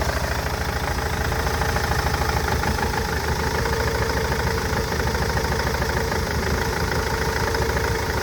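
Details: Nissan Interstar / Renault Master idling with an irregular stumble, a skip every few strokes; misfire persists after injectors, fuel pipes and injector wiring loom were replaced. Engine misfire at idle.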